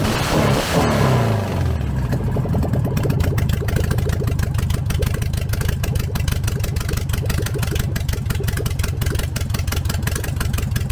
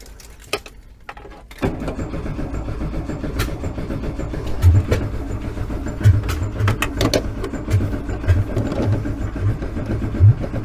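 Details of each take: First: VW 1303S Beetle, rebuilt 1915cc engine, first run after timing adjustment, no exhaust fitted: cranks, catches, settles into crisp rapid even patter with clean revs and no misfires; healthy idle and revving. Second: VW 1303S Beetle, freshly rebuilt 1915cc engine, first start attempt after install: starter cranks steadily nine seconds with uneven puffs and pops, never catches; ignition timing far out, owner suspects wrong firing order.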